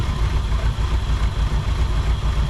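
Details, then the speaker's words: 1959 Ford Thunderbird 352 V8 after 33 years parked, started right up: deep steady rumble, even firing, no knocks or ticks; accelerator pump likely not working and carburetor needs cleaning and rebuild. "Started right up. I don't think we have an accelerator pump, so I think we're running off not an accelerator pump. After 33 years, I don't think the accelerator pump's any good. It definitely idles."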